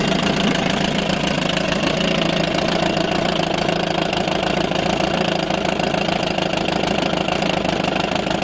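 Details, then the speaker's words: 1987 Johnson 4hp two-stroke outboard in water barrel, first start since last summer on old, oil-rich fuel: rapid steady buzzing at constant pitch, no stumbles or misses, slightly smoky; normal idle. "you can hear it runs up absolutely fine of course it will be a little bit smoky at the moments that's primarily as you say it's just old fuel"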